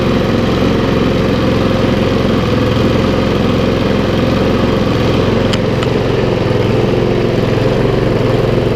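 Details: Briggs and Stratton mower engine, a non-runner unused for over two years, revived with little work: small single-cylinder engine holds a steady, even putter with no misses or surging; it runs cleanly.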